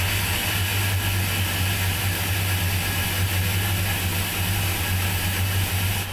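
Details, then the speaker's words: 33ft express cruiser, port engine on first start after winter layup and manifold/riser service: a steady, even idle rumble with no misses, knocks or rattles, running smoothly. "All right, one out of two. That sounds really good actually. It sounds very smooth. So, the port sounds really good."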